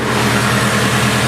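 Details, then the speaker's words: Nissan S14 Silvia idling after first start with new power steering pump and resealed valve cover: steady even four-cylinder idle, no pump whine or groan, smooth and quiet; normal idle. "there we go starting right up everything is working just as you should with that thing go quiet"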